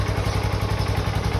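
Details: 2006 Suzuki Boulevard S40 single, started in neutral with a little choke after an oil change and after sitting unstarted for a few months: a steady, even low thumping idle with no misses, ticks or rattles; healthy.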